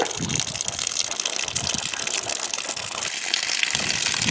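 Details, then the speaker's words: Camp outdoor lake-water line refilled in spring after fall draining, valve opened to camp; hissy sputtering gush with irregular spits and burps as trapped air and some brown water blow out, then running good; air purging from line. "Oh, little burp. Some brown water coming out, but now she's running good. Oh, some more air."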